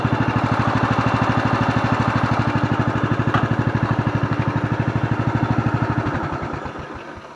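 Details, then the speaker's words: Murray 17.5hp 42-inch riding mower, model 425001X8, readied for sale after repairs: single cylinder idling smoothly at about three even beats a second, slowing steadily as it winds down; normal healthy idle. "I think we got it, boys. Go ahead and look at this thing idle down."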